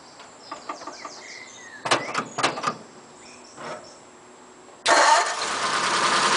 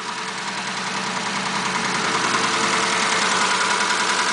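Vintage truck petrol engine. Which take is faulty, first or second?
second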